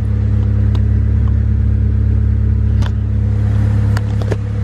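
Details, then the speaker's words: Honda Civic D16 on a tuned computer, idle set in the map without the IACV, holds a deep, steady 1,000 rpm idle without surging or hunting, only a few light clicks; a healthy, settled idle. "Look at that, crispy 1,000 RPM idle."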